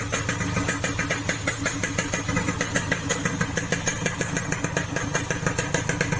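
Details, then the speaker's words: Yamaha RX King two-stroke after repair of a rough noise blamed on a shaved piston, with the cylinder rebored to 175 oversize: a crisp, even idle popping with no rattle; much smoother than before. "Ini lebih halus ya bro suaranya bro, ketimbang yang sebelumnya."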